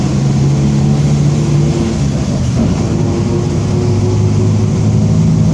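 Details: 2007 Torino MBB OF-1722M diesel city bus, Grande Londrina 3311, line 314, driving: steady tonal hum under the deep diesel rumble that follows road speed; worn, roaring (whining) differential.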